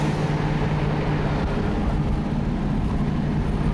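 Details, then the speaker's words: Car with power steering driven over a bumpy road: steady low road and engine rumble with no clunks, knocks or squeaks; suspension absorbs the bumps quietly. "And as you can see, there's lots of bumps and things in the road, but the car swallows it perfectly."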